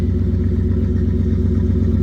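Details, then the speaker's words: Ford F-150 V8 with an aftermarket camshaft, after a cold start with the AC switched on: fast, choppy lumpy idle that fails to drop for about a minute, revving up on its own; high idle. "Now down 1K. still out ain't idle down yet. Now we going on a minute now and it still ain't out of down yet."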